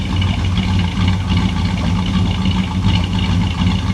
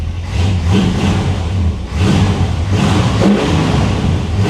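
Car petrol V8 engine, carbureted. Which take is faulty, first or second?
second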